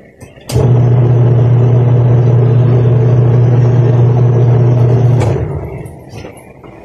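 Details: Panasonic twin-tub washing machine that hummed but would not spin, after replacing the wash motor's capacitor with a new 8 µF unit: click, then a steady low even hum for about five seconds winding down; motor running normally.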